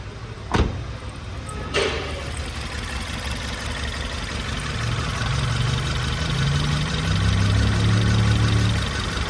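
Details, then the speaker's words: 2018 Ford Taurus turbo: starts and settles into a lumpy, uneven idle stumbling about four times a second; customer complained of strong shaking; single-cylinder misfire, code P0301. "الزبون يشتكي من تفتفه بالسياره قويه كثير"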